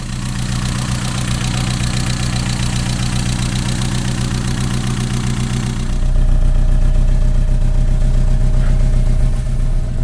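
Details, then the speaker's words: Mazda MX-5 at cold idle after a new lambda sensor, following a bonding-lead replacement: slightly uneven, lumpy beat with occasional stumbles, a small misfire that is more apparent when cold. "It's still not perfect. There's just a little bit of a miss in it, and I just want to try and get to the bottom of that, because when the engine's cold, that's much more apparent."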